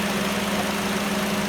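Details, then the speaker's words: 20-year-old Ford Focus Ghia just started: steady, even idle hum with smooth low drone, no knocks, ticks or hunting; engine idling normally. "hey I've just started the engine up it sounds okay"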